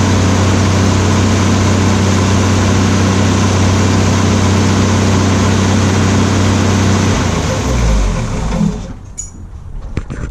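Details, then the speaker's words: Ford F100 truck after an engine failure, with a new Pertronix Ignitor and Flamethrower coil, timing not yet set: a steady, even low rumble at fast idle with no knocks or misses, then shut-down. Runs healthy; the only visible leak is at the rear main rope seal. "it sounds really good I don't have see anything leaking other than by the rear main seal"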